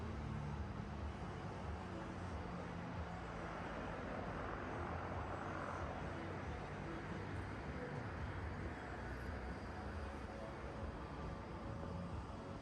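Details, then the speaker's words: Barn-find Mazda RX-7 FC rotary idling after a stuck side seal was freed with ATF, last run 2016; quiet, steady drone with an even rhythm and no galloping or missing, smoking a little from the ATF; idling smoothly again. "Well, she's smoking a little bit cuz we put some ATF in it, but it's back to life after I think there was a last run in 2016."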